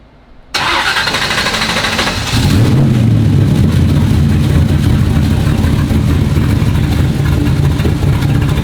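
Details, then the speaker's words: Turbo Chevy Nova V8 on its first run in years, after a rebuild with opened-up oil clearances and the exhaust finished: it cranks briefly and fires into a loud, lumpy but even idle with no knock or tapping. It sounds good. "thing sounds good dude I think it's gonna run pretty good too"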